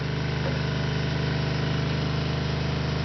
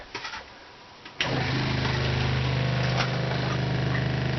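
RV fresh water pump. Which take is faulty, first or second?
first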